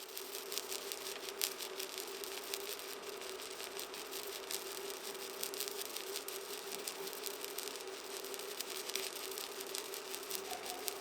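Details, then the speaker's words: ProWELD MMA 220 Puls inverter in pulse mode at 10 pulses per second on about 1.2 mm sheet: crackling, sizzling stick arc with a faint tone and rhythmic swells of power as the pulses vary arc power; normal pulsed welding. "le variazioni di potenza dell'arco elettrico producono ora un suono specifico che possiamo sentire più facilmente."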